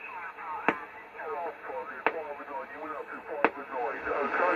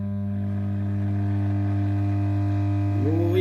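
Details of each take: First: Homebrew 20-meter SSB transceiver bought on eBay, on a bench power supply with a wire antenna: warbling sideband voices drift over a steady hiss with static crashes. The receiver pulls in 20 m SSB signals cleanly. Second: Vintage Pilot radio being powered up slowly on a variac, HT brought up toward 200 V: loud, steady low hum with a buzzy edge. Strong mains hum, and the reservoir capacitor is suspected open circuit, not yet confirmed.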